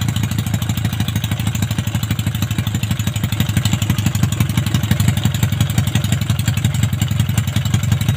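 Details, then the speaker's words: Yamaha Maxim XJ750 inline-four on its first run after rebuild and carb overhaul, running open headers only: a loud, raw, slightly lumpy idle, using fuel fast with black exhaust smoke. Engine running rich; owner plans to return to the stock setup. "gasak sa gas hanip Ito okay naman siya kaso sobr lakas sa gas e ano e ubos agad tapos sobr itim yung tambutso e yung usok sa tambutso e"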